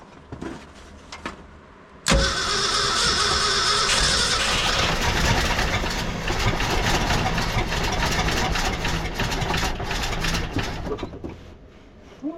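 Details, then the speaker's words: 1966 Ford F-250 factory 4x4 truck, start attempt after sitting, in cold snowy weather, one cylinder known low on compression. It cranks, catches with a pop, runs roughly about ten seconds, then sags and dies. "hey folks that's a wrap on the 66 for today we got it to fire that was our goal"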